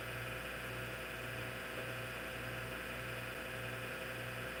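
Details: Hard drive in an IBM PC/AT damaged in shipping: a steady loud whirring hum with a faint rough rasp underneath and no head clicks audible. The spindle motor bearings run noisy.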